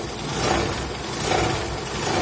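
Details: Idling car after driving on a dirt road: rough, buzzy metallic rattle and vibration from underneath, as the dented sump guard/skid plate touches the exhaust.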